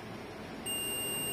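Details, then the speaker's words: CRT TV with a low-contrast (ABL) fault: a 1N4148 diode checked on a meter gives silence, then a steady continuity beep, so it is shorted and must be replaced. "यानी ये shorting है। ये beep की आवाज आ रही है।"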